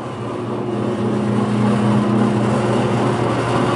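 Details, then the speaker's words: Hobart MG2032 mixer grinder, 8.5 hp three-phase motor, running mix and grind with auger and paddles turning: smooth, constant low hum and steady drone, no knocks or grinding; healthy. "you can see the auger turning and the paddles turning at the same time so there it is running"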